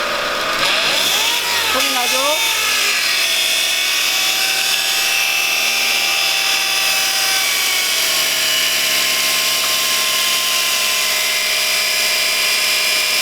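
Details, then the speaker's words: Light car (경차), first start in the morning: high whine climbs with throttle then settles to a steady tone, worse under accelerator, less when hot; sludge-clogged automatic transmission oil filter, not low power-steering fluid. "이 소리는 온 자봉 변속기 의회에서 어 어 어 일어나는 소리 고요 가동된 특히 to 임 피트 부부 님이 어려움이 돼서 아니 막혀 있는 경우에 해당 되겠습니다"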